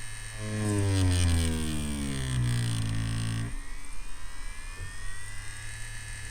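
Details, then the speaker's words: Spektra Flux Max tattoo machine switched on with the speed-up function at level 3: the motor hum climbs steadily in pitch for about three seconds as it accelerates, then cuts off; normal ramp-up. "Почувствую ли я разницу? Ну да, но по звуку даже слышно."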